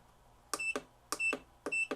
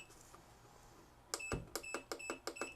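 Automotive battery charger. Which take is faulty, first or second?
first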